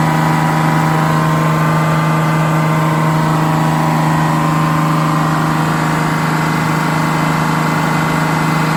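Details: GM 4104 bus diesel, warm after a test drive, following a transmission swap, new clutch, rear main seal and resealed valve cover gasket. Steady, even idle with a constant drone, no knocks or rough patches. Healthy.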